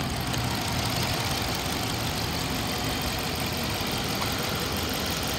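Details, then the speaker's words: 2013 Dodge Charger PPV with a 5.7-litre V8 at 80,000 miles, warm after running about an hour. It idles with a deep, even rumble and no knocks or misses, and revs responsively. Bad motor or transmission mounts are suspected because of a thump when accelerating. The engine itself sounds normal. "sounds like it has a lot of power and it's very responsive"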